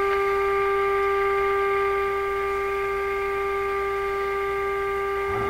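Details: Westinghouse 636 radio output stage during capacitor changes: a steady test tone comes through buzzy and harsh over a persistent low hum. The harmonics stay the same as volume changes. Hum and distortion on the audio output.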